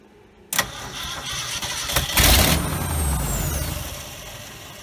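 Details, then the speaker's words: 1969 Ford F250 first start after 11 years, replacement carburetor with gas poured in, jumped with a screwdriver: starter cranks, one loud firing burst on a single cylinder, then back to cranking; fuel supply suspected. "that's gonna be loud we're probably in hook of a fuel line and fired this cylinder I could see it none of the others so try again"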